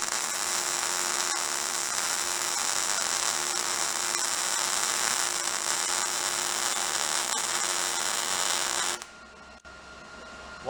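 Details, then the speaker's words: Welding dirty metal while building a bike lift platform from used pallets: a steady hissing arc with irregular sharp pops and crackles instead of a smooth sizzle, as dirt spoils the weld. "lot of dirt in there, you can hear it."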